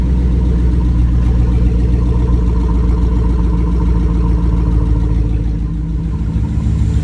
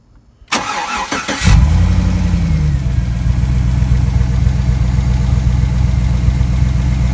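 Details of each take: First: GM 5.3L V8 after rebuild with a replacement lifter for a bad one, idling: steady, even low rumble with no ticking or knocking; running perfectly, lifters working fine, normal idle. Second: Freshly rebuilt GM 5.3L V8 (bad lifter replaced) cranks, catches and settles to idle with a soft tapping under the exhaust rumble; ticking at idle, possible cam problem suspected, unconfirmed.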